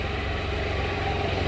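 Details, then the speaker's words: 2017 Can-Am Spyder RT-Limited after mud cleaning, camshaft sensor unplugged: even, steady idle with low rumble and no misfire or stumble, though it throws a code; smooth idle with camshaft sensor unplugged. "I'm still amazed that that thing runs perfectly"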